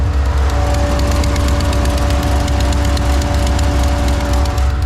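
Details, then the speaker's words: Miata drift car at idle: deep rumble with a quick, faint ticking, about four a second, from an exhaust leak at the welded header; the weld didn't fully fix it and a new header is needed. "you hear that ticking that's the exhaust leak um we still have to get a new header for this"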